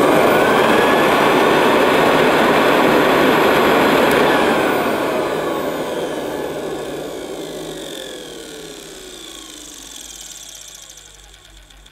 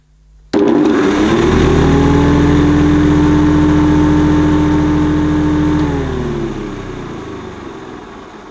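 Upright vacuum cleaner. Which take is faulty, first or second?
first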